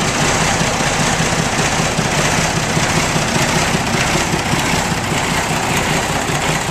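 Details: Ford 9600 diesel tractor, only 134 hours run in the last eight to ten years, started after long sitting: steady, even diesel clatter at idle with no misses or knocks; runs smoothly.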